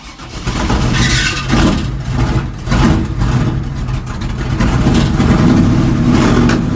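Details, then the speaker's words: 1970 GMC big block truck with new spark plugs, plug wires, cap and rotor: the V8 idles with an uneven, stumbling beat and the odd skipped pulse; owner suspects it needs a carburetor rebuild. "it has all new spark plugs plug wires cap and rotor and we're still having a little bit of a miss"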